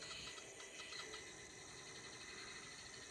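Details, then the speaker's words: HO brass Southern Pacific 2-8-2 Mikado model locomotive pulling a 20-car train easily: faint even hiss of gears and wheels, no thumping; normal running under load. "That's, right now it's pulling a 20-car train pretty easily."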